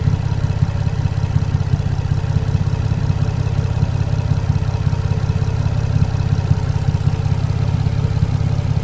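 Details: Infiniti G35 with newly installed exhaust, after a smoking scare and a heard squeal, idling before a drive: steady, even low rumble with a regular pulse and no knocks, squeal or misses; normal idle.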